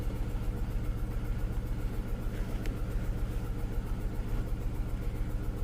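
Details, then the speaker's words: Skoda Fabia (year unknown) with check-engine light, still missing on cylinder 1 after swapping plugs and coils, per live data: uneven, lumpy idle pulsing about twice a second. "глянемо по параметрам які у нас циліндр не працює як бачимо У нас знову первий не працює"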